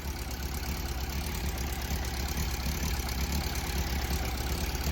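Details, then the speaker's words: Yamaha Fazer 600 four-cylinder idling cold with a rough, uneven light ticking clatter over the rumble. Owner suspects a minor timing (distribution) issue; it smokes blue heavily when hot. Engine ticking at idle. "Le cliquetis, bon, si c'est qu'un petit problème de distrib, c'est pas dérangeant."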